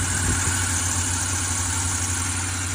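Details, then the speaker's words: 2008 Range Rover Sport 4.4L, about a week after a water pump replacement, first cold start of the day: a high thin squeal over a smooth idle that usually stops shortly after. Source unknown. "don't know why it always sounds like that when it first starts. It'll stop here in a second. It's my first startup for the day."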